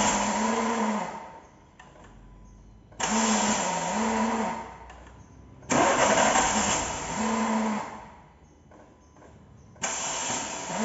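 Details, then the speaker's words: 2014 Renault Sandero 1.6 8-valve, starter cranking: three short bursts, each a harsh metallic grind over the starter whir, cutting off abruptly; worn starter Bendix drive, to be removed and replaced. "Eu vou mostrar agora primeiro o barulho do arranque, tá? Que a gente vai tirar e solucionar esse barulho."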